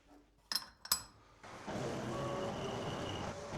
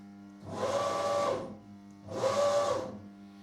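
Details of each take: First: Homemade insert dovetail cutter on a CNC mill cutting lathe tool-holder dovetails: the steady cutting noise carries a lumpy, irregular beat; the owner suspects the insert pockets were not made at the same depth, and the inserts also show chipping. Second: CNC milling machine after troubleshooting following errors and retuning the feed-forward values: two clean jog moves at 2500 mm/min max speed, each a smooth servo whine about a second long with no stutter or chatter; the axes run normally.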